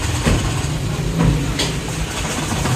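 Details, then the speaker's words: Changan Alsvin: engine runs but two cylinders miss, giving a rough, lumpy idle with an uneven stumbling thump; check light blinks after a while; two injectors get no proper ECM drive pulse, so the ECM needs repair. "गाड़ी start है मगर 2 cylinder इसके missing कर रही है, गाड़ी ये bike से मिसिंग कर रही है।"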